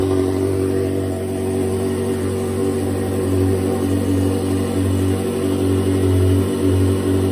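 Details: Ferrari 360 V8, first start after full engine rebuild, oil pressure pre-built by cranking with fuel pump relays disconnected: smooth steady low drone, no knocks or ticks; normal running.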